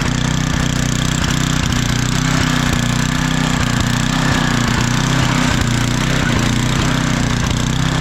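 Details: Craftsman 9 hp 26-inch estate-sale snowblower after oil change and new spark plug, carburetor found clean; steady quick small-engine putter at constant speed, even firing, no misses or rattles; normal running.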